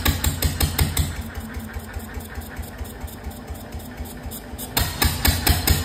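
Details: 1925 National 5V petrol/paraffin engine, first run in decades, with fuel, cooling and governor not yet set and no exhaust fitted: loud open bangs about two to three a second that slow and weaken, then pick up; uneven running.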